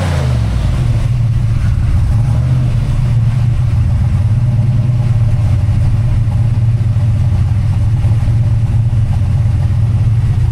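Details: Fresh rebuilt 363 V8 (new Diamond pistons after melted pistons) with Holley Smart Coil ignition, cam sync, crank trigger and Terminator X EFI, idling stationary after first start; steady deep smooth burble, no ticks, knocks or misses; normal idle.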